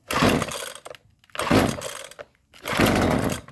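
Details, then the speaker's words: Husqvarna 128LD two-stroke string trimmer after fuel line replacement, cold start on full choke with three pulls, then half choke: strong, even pull-cord rips with clean, free spin-over; normal pull start. "oh yeah that sounded really nice half choke cold start have lift off that's a beautiful thing"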